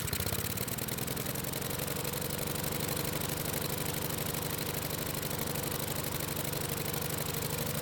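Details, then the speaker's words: Husqvarna lawn mower small engine after carb refit runs fast and steady without governing down; the choke flap was not stuck, and opening it raised engine speed, showing the carb throttle plate was stuck wide open. "as you can see the choke flap was not stuck and when I went to open it the engine speed went up that means the throttle plate was wide open"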